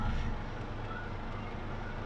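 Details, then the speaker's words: Chevrolet/Suzuki Grand Vitara J20A after the faulty cable causing the cylinder 3 misfire was repaired: a steady, even idle heard at the exhaust, with no stumble and no vibration; all four cylinders now show normal ignition signals. "ahora nos vamos a la parte de detrás solamente para escuchar Cómo suena el escape entonces no sé si lo escuchan ahí tranquilamente ya no tiene esa vibración"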